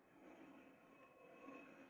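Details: Rear wheel drum brake of a Chevrolet Celta, wheel removed and drum turned slowly by hand: faint steady metallic scrape with thin squeal; loose parking-brake springs rubbing inside the drum.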